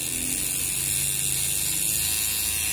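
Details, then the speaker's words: Old tattoo pen being retired, running at its normal 7.5 V: harsh, high, constant buzz with a rattly edge, louder than it should be; owner cannot tell whether it comes from the motor or the mechanism. "Tignan nyo kung gaano siya kaingay. So, so hindi ko alam kung saan nanggagaling yung ingay na yun. Either sa makina, sa mechanism niya para para gumana siya as pen, hindi ko na alam."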